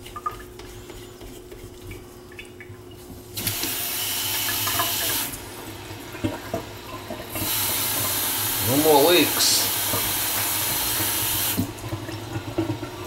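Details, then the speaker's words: Kitchen faucet after the house main was shut off and reopened: water pours in even hissing bursts with no whistle or ringing tone. The whistle was likely sediment. Normal, quiet water flow. "more noise so I must have just been a little bit of sediment making a whistle in action"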